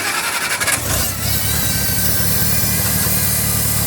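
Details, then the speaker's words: 1974 Farmall Cub tractor started after a month sitting, runs rough and uneven only on half to full choke (75-90%), lacks power under load; valves lapped, lash set, leak-down done; cause unknown. "So as you can see, it's kind of on half choke, if not full, and that's where it seems to want to run."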